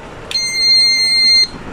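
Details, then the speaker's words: Plug-in household gas leak alarm, mains power switched on: single steady high-pitched beep just over a second, the detector powering up normally. "এখন এটা চালু হয়ে গেছে।"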